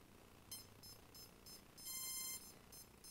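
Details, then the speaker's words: CX-20 quadcopter with motor outputs swapped on the APM to test: short shrill beeps about every third of a second and one longer tone persist, so that motor's ESC is faulty, here a loose signal cable. "you can tell, it's still doing it. So it is this motor that's buggy."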